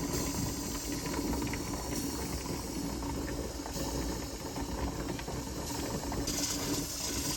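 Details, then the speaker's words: Older Presto pressure canner processing chicken broth, steam hiss with light ticking as the weight starts to rock, not yet fully rocking; normal approach to pressure. "hear the ticking it's starting to think about actually rocking not quite there yet it is thinking about it"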